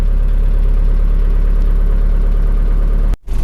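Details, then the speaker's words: Car freshly rebuilt (engine overhaul) from Sragen, Central Java, started in the morning after two days unused; fires straight away into an even deep idle without knocks or misses, normal cold start and idle. "Setelah 2 hari tidak hidup, itu bagaimana hidupnya. Bismillahirrahmanirrahim. Hidupnya langsung cegreng ya ini."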